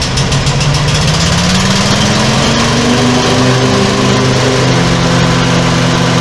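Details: Small single-cylinder lift engine after repairs, started with a little less choke: loud and raspy as it picks up revs, with a sharp unmuffled bark; the muffler pipe on the base plate has rusted through.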